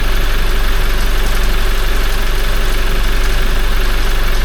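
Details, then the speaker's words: Toyota 1GD-FTV diesel at 40,920 km, just after an oil change to Ravenol: steady idle with a fast, even light clatter about three per second; timing chain rattles until the hydraulic tensioner fills, stops, then returns intermittently. "Сначала затрещал, потому что система пустая была. Потом прекратился резко. Только заполнился, видимо, этот гидронатяжитель натянулся."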